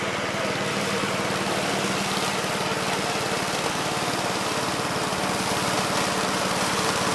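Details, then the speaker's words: 1969 Gravely C8 walk-behind tractor after repair of no-high-range fault (drove only in low range, stop-and-go in high); morning start-up, fast steady single-cylinder beat around 220 pulses a minute, no misses or knocks; running normally. "so seems like it's working and running pretty good guys so uh i think we got this one licked"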